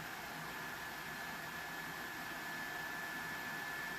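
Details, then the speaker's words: PS4 Pro in a game, before cleaning, some room echo; constant loud airy rush with a thin steady whistle and no pitch change; loud cooling fan. "this even if I were to pull this out you know it's not gonna be as loud but it's still freaking loud"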